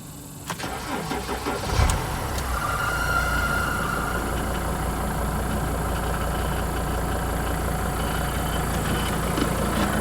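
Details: Mercedes T1N Sprinter diesel cranks and catches, then idles with an uneven light clicking and brief high squeak from a recently failed harmonic balancer; the balancer visibly wobbles at the front of the crank.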